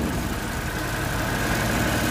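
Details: Fuel-injected Suzuki Multicab at idle, diagnosed without OBD scanner, cylinder number three implicated: slightly uneven, lumpy beat with no clean rhythm; misfire at idle.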